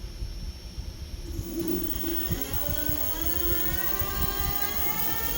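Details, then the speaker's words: TeeWing Mars XTR hyper e-scooter front hub motor after adjusting the yellow cable and the brake caliper: smooth rising motor whine with no jitter or rough pulsing. The dual-motor jittering noise is fixed. "oh oh my goodness guys it fixed it so beautiful and clean how it's supposed to sound"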